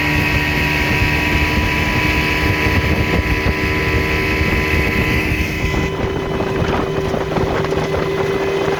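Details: 1960 Scott-McCulloch 12hp outboard with a 14.1hp McCulloch powerhead, bronze Michigan Wheel prop, 24:1 full-synthetic mix, cruising on the lake: steady high-pitched two-stroke buzz over wind and water rush, smooth with no misses; normal running at speed.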